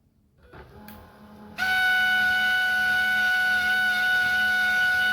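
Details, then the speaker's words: HP LaserJet 1020 laser printer powered on with the cover open: a steady high-pitched whine at one pitch. The laser scanner motor spins up late and is at fault. "ये दोस्तों जो इसकी motor घूम रही यहां पे देर में घूमी है। तो ये यहां पे दिक्कत कर रही है भाई।"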